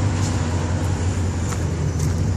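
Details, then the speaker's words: 1988 Corvette V8 at its first start after sitting almost two years in the shop; it holds a steady, even low burble at idle with no misses, knocks or ticks, idling fine. "idling okay but man she is dirty first time she's been out of that shop in almost two years"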